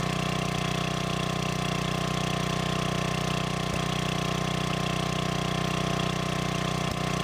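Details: Old free generator, after adding gas and freeing stuck governor: steady, even beat at constant speed, no hunting or surging; voltage output in proper range; normal governed idle.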